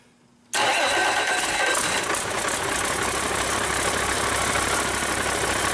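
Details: Rebuilt Cummins 8.3L diesel with inline injection pump, first start after fuel system bleeding, for a Hyster forklift: fires instantly, settles into even steady idle, no knocks or misses; healthy.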